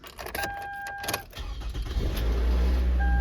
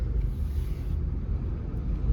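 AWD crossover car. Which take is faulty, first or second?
first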